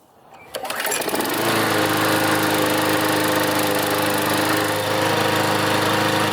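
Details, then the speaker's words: Older Briggs & Stratton 190cc flathead on MTD mower body, rebuilt from scrap after flywheel key, ignition coil, blade hub and auto choke repairs, air filter fitted: pulls over, catches within a second, smooth even drone, no misses or surging; healthy. "Start up and run just to make sure everything's okay. It should run a little bit better with the filter on,"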